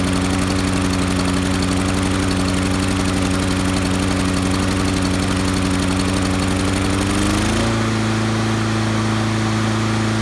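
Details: Honda lawn mower with auto choke, just started: runs low and chugging for about seven seconds, not reaching full rpm, then smooths out and comes up to speed; surging after cold start, addressed by Honda's governor spring service bulletin.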